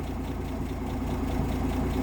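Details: 1958 AMC Rambler Super with Weber carb, idle being lowered via idle screw: low idle wavers and bounces, not holding steady the more it is turned down; still needs mixture adjustment.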